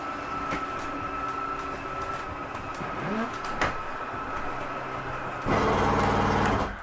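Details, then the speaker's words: Jayco Eagle HT 25 5REOK slide room 2 (living room) extending: steady motor drone, then louder buzzing ratchet at full extension; normal harmless slide mechanism seating. "That brrr noise is okay. That's just the slide mechanism setting itself. It doesn't harm it in any way."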